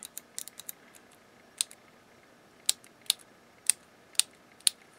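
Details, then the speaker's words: Harman Kardon HK 725 1980s stereo preamp, push-button switch bank after cleaning and silicone lubrication: crisp clicks, single and in quick pairs, every button latching and releasing sharply with no scratch or sticking; switches work normally. "okay it's working normally"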